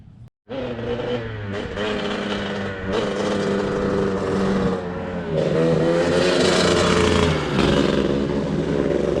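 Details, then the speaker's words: Two-stroke dirt bike with a sheared flywheel key, so the flywheel slips and ignition timing is badly off: ragged, uneven burble that stumbles and surges with throttle, never a clean beat. Rough running. "The keyway's broken, which means this flywheel is just kind of spinning on here, which means timing is completely foobar."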